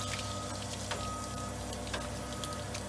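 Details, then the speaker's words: Aquapod water purifier after daily cleaning, 10-minute chlorine flush, valve 3 opened and valve 1 closed: sharp clicks about once a second over steady water flow; Dosatron dosing pump activating again, normal clean water production. "and you can hear the dosatron starting to activate again we're back into clean water production mode"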